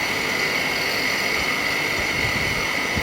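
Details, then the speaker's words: Texmo HCS 425 0.5 hp pump motor on a no-load test with the impeller removed: steady high-pitched hiss and rough hum from worn bearings; front and back bearings to be replaced. "So இப்ப check பண்ணாலே உங்களுக்கு தெரிஞ்சிருக்கும் bearing sound எந்த அளவுக்கு வருது"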